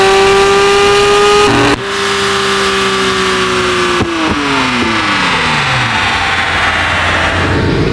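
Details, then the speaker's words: Fully built supercharged Acura NSX, freshly tuned, about 450 whp: sharp rev with clean blower whine, then smooth even fall with no misses or rattles; rowdy, unique-toned, healthy normal revving. "Yep. This thing is rowdy. Sounds good. Dude, sounds fantastic. It's got a unique tone to it."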